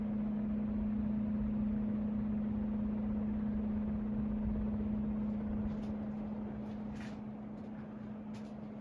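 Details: Hunter Mariner 52-inch ceiling fan with Marine II light kit running: steady low-pitched hum at one even tone, no knocking; owner suspects the white part may be causing it, not confirmed.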